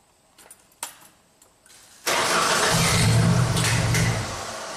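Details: 1999 Genie Z45/25J lift, Ford LRG-425 four-cylinder fuel-injected engine with an electronic throttle control fault: a few clicks, then the engine fires and runs briefly before sagging and fading. It starts but won't stay running.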